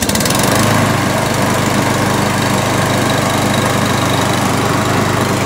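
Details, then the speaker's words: Briggs & Stratton 675EXI on Poulan Pro PR675Y22RHP mower, after filing the choke lever so it no longer sticks open: catches and runs steady and even, choke closed cold then opening; normal running. "so now this lawnmower is working as it should that choke lever is in the closed position when it's cold and then once it fires up it opens up to allow the machine to run"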